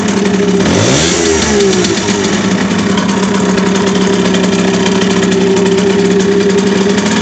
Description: Ich hab eine Simson SR4-2 mit Habicht Motor. Es scheint mir das der Motor beim Gasgeben ein mergwürdiges Geräusch macht?